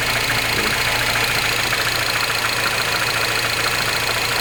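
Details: R56 Mini Cooper S, morning cold start: fast, slightly uneven ticking rattle over a bright, busy idle; an abnormal cold-start engine noise, cause unclear.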